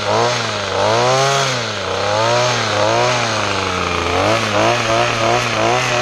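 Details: Weed trimmer after fuel system repair and new parts, choke off: small two-stroke buzzing high and steady, revving up and down smoothly; runs properly, may need slight tune-up.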